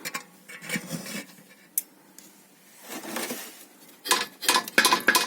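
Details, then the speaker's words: Toyota Caldina 215, irregular tinny metal clinks heard underneath over potholes and bumps; a bolt had come loose, letting a shield rattle against the muffler pipe. "болтик куда-то прорубился и соответственно радиаторы а трубу глушителя гремел кожух вентилятора"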